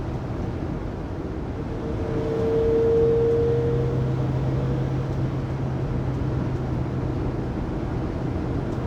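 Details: 2020 Pleasure Way Plateau FL (2019 Sprinter 3500XD), recorded by phone at 80–90 km/h after differential replacement: road roar with faint constant whine, unchanging pitch; driveline whine, source unconfirmed.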